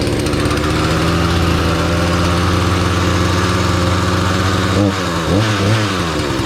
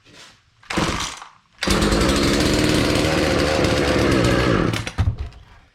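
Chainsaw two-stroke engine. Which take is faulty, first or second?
second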